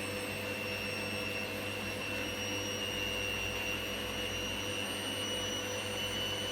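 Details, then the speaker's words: Candy GVS169D3/1-80 Grand O Vita 9kg washer after triac replacement fixing error E09: empty drum high-speed spin, smooth even high-pitched hum, no knocking or rumble; quiet, well balanced, normal. "it sounds nice and quiet and it feels quite well-balanced because of course there's nothing in us"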